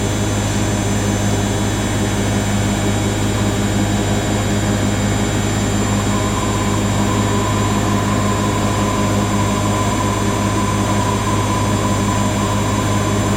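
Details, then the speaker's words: Siemens IQ300 WD14H320GB/02 washer dryer (7kg wash, 1400rpm max), bought listed as noisy on spin, on a Cottons 90°C cycle: wash spin ramping from 250 to 1,000 RPM, smooth low steady hum with no rumble or grinding, very quiet. "Spin film. It's very quiet, that."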